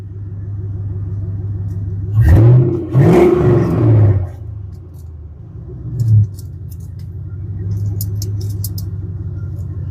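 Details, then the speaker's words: 2000 Chevrolet Silverado 5.7 L V8 right after a tune-up with new spark plugs, started with no exhaust fitted: deep, even rumble with brief throttle blips, now running smoothly on all eight cylinders. "She is running on all eight. Runs a lot smoother. A lot more smooth."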